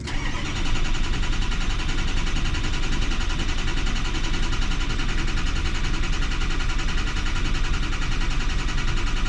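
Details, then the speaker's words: 2006 Ford 6.0 Powerstroke diesel, key-on cranking at wide open throttle during scan-tool relative compression test while diagnosing combustion gas in fuel: steady, even cranking rhythm, no lazy strokes; tool reports good compression. "got good compression"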